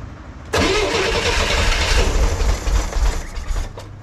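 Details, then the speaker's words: 1963 Corvair engine after the carbs were resynced from scratch and the chokes hooked up, given a little throttle. Idle surges and stumbles with lumpy low thumps and puffs of stuff; rough running, cause unknown. "maybe a little throttle ah still not uh still not happy with that what's going on here why am I getting poofs of [Applause] stuff"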